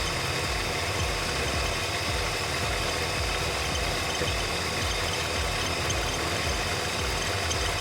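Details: 1964 Mercury Montclair, Ford FE 390 with new cam and intake kit, after timing adjustment and with coolant added, running for the first time since the 80s: steady, even V8 lope with deep rumble, no knocks or misses; normal idle.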